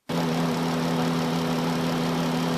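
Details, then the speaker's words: 2013 Chrysler Town and Country, whine at idle: unplugging the alternator made little change, so the power steering reservoir is suspected; a steady low droning whine. "it doesn't seem to change that much so I'm guessing it's this Reservoir over here"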